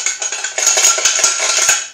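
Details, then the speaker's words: Removed muffler from a mower engine whose stuck carburetor float pin had flooded it, pouring gas out of the muffler: shaking it gives a bright, tinny, cowbell-like clatter from loose broken internals. A new muffler was ordered. "sounds like a cowbell when you rattle it that would get really annoying mowing"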